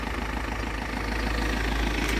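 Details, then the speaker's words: Vauxhall Zafira 1.9 CDTI 150 hp diesel after starter motor replacement, shorter belt fitted bypassing AC compressor: brief steady low diesel rumble at idle, smooth and even without knocks or misfires; idles cleanly. "Apart from that, the engine sounds really good."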